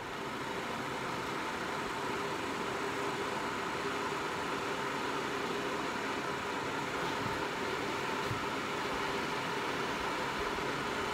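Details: NewAir G73 hardwired 240 V electric garage heater, just installed and switched on at the breaker, thermostat turned up: steady even whoosh with faint constant hum, no rattles or ticking; fan running smoothly and producing heat.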